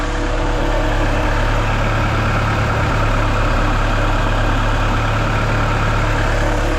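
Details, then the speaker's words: Turbo B16-swapped Honda CR-V on Hondata S300, first start with VTEC disabled and catch can lines not yet fitted, leaking a little oil: smooth steady idle, constant low hum, no misses or rattles; normal. "Hey. Hey, we know it turns on. We know it turns on."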